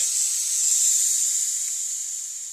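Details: DLX Luxe 2.0 paintball marker whose solenoid was overpressurized by an 800 psi tank: a thin, high-pitched air hiss slowly fades as regulator pressure is screwed out. Solenoid air leak.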